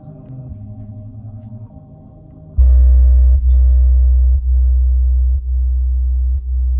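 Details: Used Klipsch R115SW subwoofer: deep low test tone with a harsh buzzy edge pulsing about once a second, only at certain frequencies and with gain past halfway; noise comes from the driver, lessened when upside down or pressed by hand.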